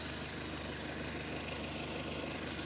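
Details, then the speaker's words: Audi idling with air conditioning off while diagnosing radiator fans; quiet, steady idle with even hum and no fan whoosh, fans confirmed off by hand, engine sounds normal. "okay so i'll start the car without the air conditioning on to start with apparently i need some screen wash so let's have a lean in yet the fans are off the fans are not running i've got my hand on them"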